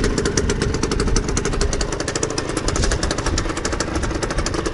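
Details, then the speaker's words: Beta 50 RR two-stroke, first run after repair in which dead bearings were replaced, started easily: crisp, rapid two-stroke popping at steady idle, and the earlier bearing noise is gone; healthy. "mais voilà elle démarra super bien essayé ya neuf ans démarre superbe"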